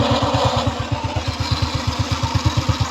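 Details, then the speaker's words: RS 125 carb-type motorcycle idling, with a rattly noise that comes and goes. It appears when stopping and shifting rather than at speed, and is blamed on a loose one-way bearing in the primary clutch. "So yun yung problema dito sa kanyang motor kapag pag i-change gear mo na siya kung mabilis yung takbo mo. Hindi naman sa lalabas yung ingay na yon."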